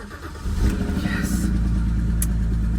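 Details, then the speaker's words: 2008 BMW E92, first start after a couple of days sitting, just after an oil change to Castrol 5W-30: fast cold idle with a faint uneven light tick that persists; owner hopes it's lifters needing fresh oil, unconfirmed. "nope still freaking ticking what is that sound bro I'm hoping it's just like the lifters that need to get fresh oil in them"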